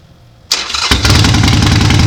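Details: Motorcycle (Suzuki GS450T or Harley Sportster 1200 XLC) cold start after a long winter with a weak battery: starter whirs briefly, then the engine catches at once and settles into a strong, even idle; normal cold start.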